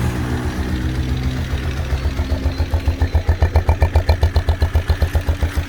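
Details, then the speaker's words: Motorcycle after repair of a bent intake valve that had made it run like a misfiring cylinder: it kicks over and settles into an even single-cylinder thump, about four beats a second, with no tapping, a healthy idle. "como pueden escuchar el motor está encendido a la vez y ni se y ni se escucha como dice"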